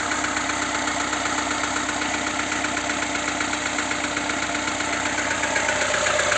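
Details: VAZ 2107 engine at idle with a light, regular knock at about 2.6 per second over the engine note; the source of the knock is unclear.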